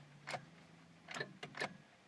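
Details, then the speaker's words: Honda Civic Si coupe with suspected starter problem: three or four sharp single clicks about a second apart when turning the key, no cranking or firing; starter clicks but won't turn over, cause unconfirmed. "la clé, ça a fait clic, je retourne la clé, clic, je retourne la clé"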